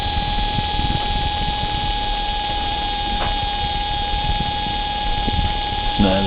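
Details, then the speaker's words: Litehawk Pro RC helicopter, upper A-rotor motor: thin, steady high-pitched whine; the motor whines and is underpowered when yawing left, so the helicopter spins clockwise. "okay so what happens is that that motor there controlling the top rotor is making the high pitched wine"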